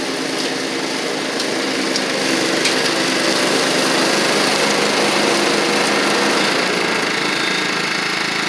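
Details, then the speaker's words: Toro Proline walk-behind mower, Kohler Command engine, after carburetor, spark plug and blade work: steady, even high-pitched drone with no surging, knocks or stumbles; owner notes it runs a little rich at idle. "idle it down a little bit. It does run a little rich at idle, but very pleased with how this turned out."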